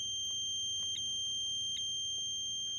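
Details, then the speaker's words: 2003 Mercury Marauder no-crank no-start: continuity tester beep cuts out as the wire is wiggled, the terminal moving on its pin in the transmission range sensor harness connector; loose connector terminal causing intermittent continuity. "so what's going on is that's sitting just right inside of that connector where it's making contact right now but all it takes is me moving this a little bit left or right up or down and that terminal is on that pin"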